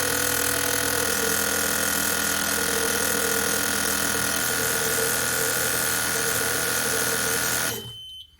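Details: LS1 V8 fuel injectors from a Mazda MX5 NC build, bench tested during misfire diagnosis: a fast, even chatter of injectors firing together for about eight seconds then shutting off; injectors healthy.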